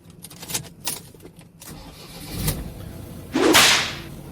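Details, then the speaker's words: 2016 Ford Transit van with 401,000 km, started with a newly made replacement key, clutch in: a few key clicks, then a sharp surge as the engine fires cleanly; ordinary healthy start. "Yep, sounds like a Transit."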